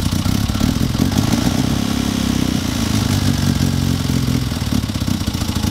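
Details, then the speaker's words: Classic Mini running hesitantly: uneven, lumpy idle with a fast light tapping/knocking clatter on top, consistent with excessive valve clearance. Ignition timing also suspected. "Don't do that noise again. Sorry. Tapping. They're knocking."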